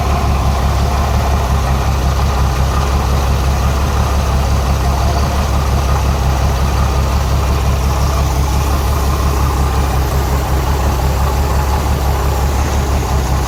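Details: Renix Jeep Cherokee six-cylinder at idle: steady low idle with a slightly uneven lope and occasional dropped beat; cylinder 6 misfire, its exhaust rocker moving less than the others, overtightened; backing off the rocker bolt cured the miss.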